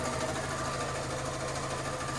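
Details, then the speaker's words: Fiat 500 with about 48,924 miles at idle: light, fast mechanical tapping with the clutch pedal up that changes when the clutch is pressed; identified as a worn clutch release (thrust) bearing. "if you push the clutch down, you hear that? So that, guys, is the thrust bearing"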